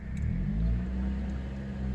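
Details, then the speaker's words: 2004 Chevy Malibu 2.2L Ecotec after replacing the upstream oxygen sensor, no engine light: revs smoothly to 2000 rpm and drops below 1000 with no hesitation or jitter. Healthy rev; the downstream sensor seems not to need replacing. "The engine is roaring. Hopefully you can hear it. 2000 RPMs. Drops down below 1,000. There is no hesitation. There is no jitters."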